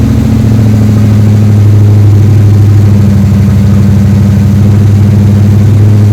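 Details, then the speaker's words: 3rd Gen Camaro Z28 carbureted V8 after replacing the plug wires and the spark plugs that caused a dead-cylinder misfire; deep, even burble with steady low pulses and no misses or stumbles, now a normal healthy idle. "All right, that all confirms the spark plugs were the problem. After replacing the spark plugs and the plug wires, it runs like a champ."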